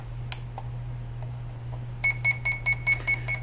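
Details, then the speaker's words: ZippKits R4 FE rigger RC boat on 4S, after swapping two of the three motor leads to reverse rotation: stray clicks, then steady short high beeps about two and a half per second, the ESC warning that the battery is dead. "This battery's dead. Sorry."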